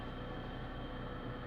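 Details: Gearbox noise at idle in neutral, clutch released, from a DUU manual gearbox after a new clutch, release bearing and clutch disc, with the input-shaft bearing replaced: a steady low hum with a faint fixed-pitch whine, cause not yet found.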